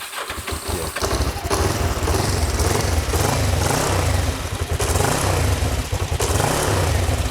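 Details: Kawasaki GPZ 500S twin, left outside three to four years, restarting with the choke off: catches after a brief crank and settles into an even, steady beat with no stumbling.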